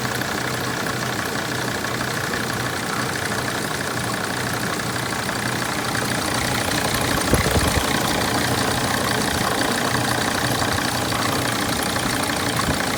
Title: 2006 Sprinter With Knocking sound